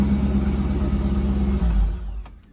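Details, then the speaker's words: Corvette C5 V8 with manual gearbox, long-abandoned non-runner, after replacement PCM/ECU install: brief rev then shutdown, deep even V8 rumble with no knocks or misses; engine sounds healthy, though fuel pump still not switching on by itself. "sounds Mega um and I'm glad to say that the engine sounds nice yeah it sounds Mega"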